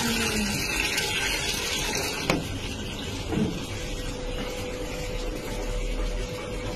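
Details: Samsung top-load washing machine after inlet valve replacement: steady rushing water filling the tub, faster flow and no inlet valve noise, whereas the old valve made noise while filling and was slow to shut off.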